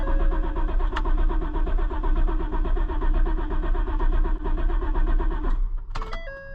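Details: Auction-bought Ford Super Duty: after talk of checking grounds around the fuse box, starter cranks at a steady two beats a second, engine never catches, then a chime; owner considers fuel pump ground.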